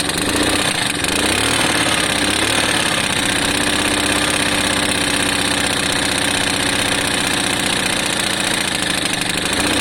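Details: Lexmoto FMX 125cc single-cylinder idling, kicked over; sharp rapid ticking chuff over the engine note, exhaust suspected still blowing slightly, owner hopes to tighten it up.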